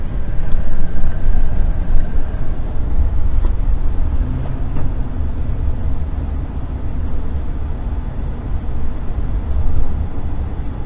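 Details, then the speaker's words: 2011 Chevrolet Silverado 3500 HD, 6.0 L Vortec, after replacing the intermediate steering shaft, on the road, mic under the dash: steady low road rumble, no knocking; steering column now quiet, clunk gone. "Okay guys, we're back on the same road here, and the knocking is pretty much all gone, so I'm going to put you down under the dash and let you listen."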